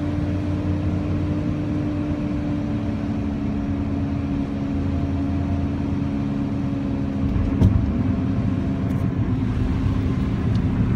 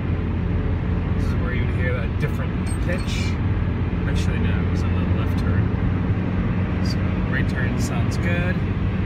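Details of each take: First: 1997 Honda Civic with a D16Y7 engine, while driving: a constant low droning hum under the road noise from the failing rear driver-side wheel bearing. The passenger side is thought to be failing too, but less severely. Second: 1997 Honda Civic (D16Y7 engine) after replacing the failed driver-side rear wheel bearing and hub (SKF BR930033), driving at 65–70 mph and through turns: steady even road rumble, no growl or pitch change; repair successful, much quieter.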